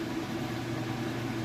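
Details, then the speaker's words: Kenmore washer (used, fully tested) in final spin cycle, up to speed: even motor hum with steady tone, no knocking or banging from unbalanced load; stable with no shakiness, spinning smoothly. "Alright, and here we are in that final spin cycle. It is up to speed and it looks great."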